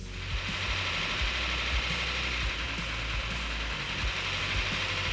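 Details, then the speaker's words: Numbers-matching Cuda V8 on its first fire-up after a rebuild, showing 80 lb oil pressure while warming toward thermostat opening: loud lumpy running with a light quick ticking, a little lifter noise. "That is amazing. That sounds awesome, dude. >> Man, little lifter noise."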